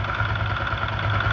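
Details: Honda Titan 125 single-cylinder motorcycle after fixing camshaft noise without replacing parts: short, even idle with steady low pulse and no knocking or ticking, noise greatly reduced; engine sounds healthy.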